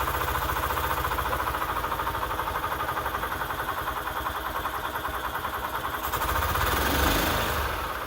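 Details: 1998 EZ-GO TXT gas golf cart engine, bought at auction as non-running, after repair: small petrol engine chugs at even idle, revs briefly near the end and settles; sounds healthy, normal idle.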